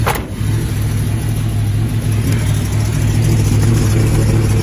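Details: 1978 Plymouth Volare Super Coupe restarted after years sitting, carburetor sunken float freed by banging: catches and settles into steady, even low idle with no knocks, misses or stumbles; runs beautifully. Normal idle.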